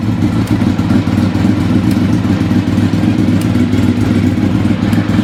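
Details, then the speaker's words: Engine that had stood about 4 years started easily and was idling on choke, not revved much: a steady light tick at roughly three to four per second over a smooth idle; source of the ticking unknown. "Hear that ticking? Something's a ticking. I'll have to see what that is."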